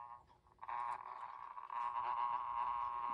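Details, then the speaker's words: 1930s Sessions electric clock with Hammond parts, before repair: once spun started, the movement runs with a loud, steady buzz with a rough chattering edge; cleaning and lubricating the gears are hoped to cure the noise. "Well, one thing I can tell you, it's rather noisy. I think you can hear that."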